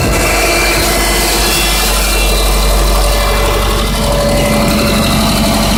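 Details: 2005 Subaru Legacy 2.0L boxer idling with loose, somewhat uneven knock about four per second; owner unsure whether rod bearings or piston slap.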